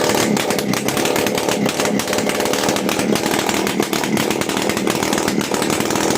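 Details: TVS XL Heavy Duty two-stroke moped, engine freshly rebuilt, kick-started at light throttle on extra oil in the fuel: loud, buzzy note holding a steady rasping beat, running cleanly.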